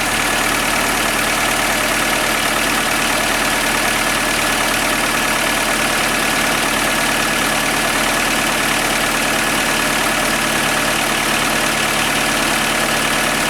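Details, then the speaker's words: Skoda Fabia 1.4 BKY petrol engine at cold idle, faint light knock over the engine note that slows as revs drop; louder when colder, fades as it warms, also heard under load uphill; enlarged piston-to-cylinder clearance, piston slap, confirmed on teardown. "он проявляется в движении по всем признакам это просто увеличенный зазор поршень Цилиндр и поэтому перестукивает поршневая"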